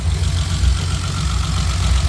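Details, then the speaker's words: BMW E30 320i with M20B20 engine idling slightly unevenly, with a fast, steady, light woodpecker-like ticking from the top end; owner suspects the lifters in the head but is unsure. "But the thing is that kind of worries me is that ticking noise. It's like the wood picker is constantly like ticking something, picking like the wood or something like that."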